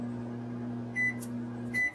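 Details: Sole elliptical after replacing handlebar incline/resistance button membrane, wiring flipped to fix reversed direction: steady incline motor hum, then two short high console beeps about a second apart, each answered promptly; up and down working normally.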